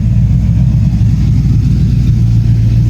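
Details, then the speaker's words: 6.0 LQ4 LS-swapped AWD OBS GMC Sierra short bed with a truck cam and DynoVox exhaust, just assembled and first started. Deep, steady V8 rumble with no knocks or misses and good oil pressure. The tune needs work and it dislikes cold weather, but it runs normally. "Truck sounds good though."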